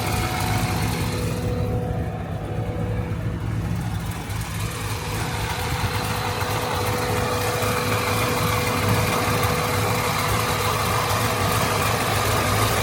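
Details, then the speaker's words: 2006 Corvette C6 Z06, fully rebuilt LS7 V8 with power upgrades and new headers, after a previous shop damaged the engine: steady even idle with deep low burble and clean top end, no knocks or ticks; normal idle. "Alright guys, this is the new fully rebuilt LS7. She looks gorgeous. And we did do some power upgrades as well."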